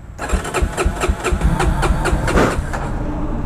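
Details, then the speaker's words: 1999 Yamaha TTR 250 single, troublesome for about half a year, with a fresh battery and new starter solenoid. It cranks in quick pulses, about four per second, with a few weak firings but won't catch: hard starting. "and trying to get this dang thing started I feel like two weeks now got a fresh batter you got a fresh start a solenoid come on bit bike"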